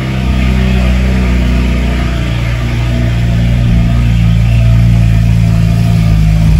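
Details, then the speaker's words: BMW 335is after swap to a replacement N54 engine, cold start on fresh fuel with scan tool connected: loud, deep cold-start drone settling to a steady, even idle with no misses or knocks; no codes, normal cold-start loudness. "so far so good no colds just uh cold start loudness"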